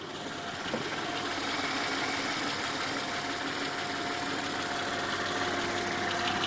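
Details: 1991 Subaru XT6 at idle with a light, fairly steady knock about three times a second over the engine hum; owner believes it is rod knock, still diagnosing.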